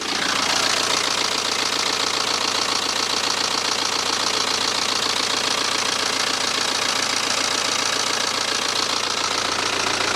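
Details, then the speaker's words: Cheap BMW with a refurbished engine just installed, after a rough initial start that burned off oil: a steady, even idle with no tapping or misfire and no exhaust smoke. The engine sounds healthy. "I'll let you listen to this thing now it sounds [Music] sweet and you could even say it now sounds like a new engine"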